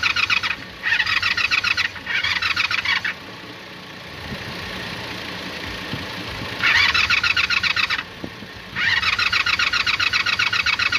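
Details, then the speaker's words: Carbureted motorcycle with suspected bad starter solenoid and leaking carb, gas sprayed in: bursts of fast high cranking whir with pauses, never firing because ignition key was left off. "Oh damn, you know what? It would probably help if I turn the key on."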